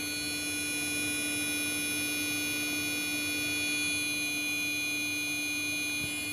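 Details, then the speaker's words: Desktop PC exporting files from Photoshop under heavy load drones with a steady shrill whine of several fixed high tones. "so I'm in a word I'm in a W photoshop exporting files and Export exporting them and on my PC and you currently you can hear this noise"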